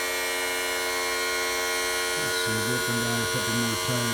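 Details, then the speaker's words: 1986 Mercury 35 hp outboard power tilt/trim, three-wire trim motor after cleaning stuck brushes and refilling: steady motor whine turning to pulsing, warbling gulps; air still in the hydraulic system, more fluid to be added. "okay definitely definitely sounds like it's got air in the system still so I'm gonna add some more fluid"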